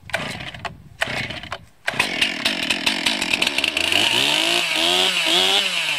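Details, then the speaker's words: 2020 Stihl MS261 chainsaw, cold start at 29 degrees after sitting in a truck three to four days: a few pull-start bursts on choke, then it switches to on and runs steadily with a high buzzing note that follows the throttle. "that's not bad for 29 degree cold start"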